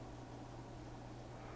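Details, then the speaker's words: Faint steady low hum, near 120 cycles, from a powered Kessler crane control box on 12 V DC bench supply, nothing moving; unit had stopped working, power transistor running burning hot; noise cause unknown. "i hear a weird noise coming from this though that sounds kind of weird"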